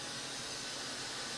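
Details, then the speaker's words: New Milltronics CNC machine: steady, even high-pitched air hiss with nothing mechanical under it, sounding like an air leak but actually the normal 15 psi air purge blowing through the spindle by design. "Sounds like there's an air leak, right? But in fact, what it is that he says the machine's built so that there's 15 psi of air that blows through the spindle, right?"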